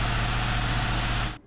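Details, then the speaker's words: Hyundai i20 diesel after engine noise repair, connecting-rod bearings previously replaced and injectors cleaned: even, steady idle with loud intake hiss because air filter and intercooler pipes are off; no knocks or misses. "डलिंग में जो है तो रुक गई है हमारी गाड़ी देख सकते हो फायरिंग है एकदम स्मूथ हो गई है"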